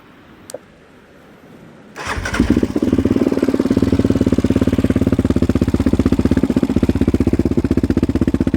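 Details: 2016 Yamaha Raptor 700 SE single with 11.1 compression piston and Hot Cam stage 3, idling, phone mic right next to the engine, exaggerating it: quick, even sewing-machine valve tick over the thump; normal valve noise, checked by the owner and others.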